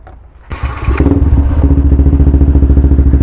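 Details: Yamaha LC135 with 62mm bore kit, after tappet adjustments: fires on the first crank and settles into an even, steady low thumping idle with no top-end tapping; normal idle.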